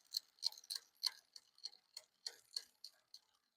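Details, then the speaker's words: Aventon Soltera e-bike during shop build, quiet room: light, sharp, uneven ticking about 100 per minute as the chain clicks on the rear cogs; rear derailleur noise from a misadjusted cable, fixed by turning the barrel adjuster counterclockwise while in gear. "Okay. I have to turn it quite a bit to get rid of that noise. Okay. Now, I have to help it. Hope it shifts."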